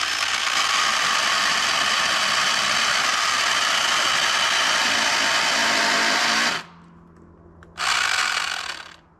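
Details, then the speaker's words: Old Craftsman V20 battery chainsaw on a 9 Ah battery, already on its last legs: harsh gritty whirring with fast regular chatter about four a second, stopping abruptly; gears stripped and grinding in the drive. "I didn't expect to kill it that quick yeah geers are just grinding in it now"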